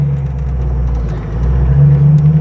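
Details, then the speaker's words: Carbureted 4.6 with dual-port Offenhauser intake, on a road test pulling away slowly at low revs. A deep rumble with uneven surging, jerky and missing at the bottom end, because it was tuned only for wide-open throttle. "if we keep it nice and slow down the bottom end, which this 4.6 should be able to do incredibly easily and well, it's incredibly jerky. It's missing and not very nice."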